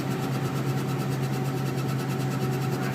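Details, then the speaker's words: Turbo surging: steady low drone with a quick, regular fluttering whoosh over it; compressor surging instead of spooling smoothly, said to be hard on the turbine shaft. "If you guys haven't seen or dealt with turbo surging, I'll put a little clip of it, or I'll try to put a little clip of it in this video so you guys can kind of hear what it sounds like. It doesn't sound good."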